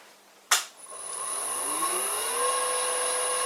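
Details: Karger lathe motor on a new small Chinese AT1-0750X VFD with an external on/off switch and max frequency set to 80 Hz: a click, then a whine rising smoothly in pitch to a clean steady tone; it runs normally.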